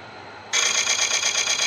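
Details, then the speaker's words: Lathe coring a thick Tigerwood bowl blank, with the coring arm very hot and something having moved: a harsh, high scraping screech cuts in suddenly and pulses quickly. Chatter in the coring setup, cause unclear. "I do not like that sound I don't like that sound"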